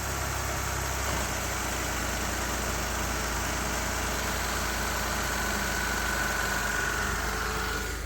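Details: 2006 Ford Escape 3.0 V6 after replacing both valve cover gaskets and reconnecting a loose vacuum line under the intake: steady even idle with no hiss, stumble or knock. Normal idle.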